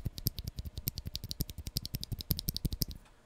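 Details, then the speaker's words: Epomaker EP84, unlubed stock switch compared against a lubed one: quick run of sharp, slightly rattly clicks, each with a dry edge; unlubricated switch. "So this is, I mean, obviously you can hear it, it's not a silent switch, but here's one that hasn't been"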